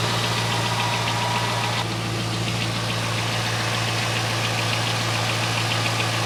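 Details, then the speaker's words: 2001 C5 Corvette V8 after repairs: fired right up with no dash warnings, smooth, even idle with steady low hum and no belt squeal or chirp; running healthy. "it sounds like it's running beautifully there's no more squeaky belts"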